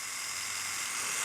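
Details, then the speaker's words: $10 knockoff Stealth rotary tattoo machine, very short stroke, tested on foam/fake skin: high hissy buzz rising slightly and sounding strained when bogged down under load, yet keeps running and hits hard. "and you hear it makes funny noises when you bog it down. It still runs and hits hard when you do that."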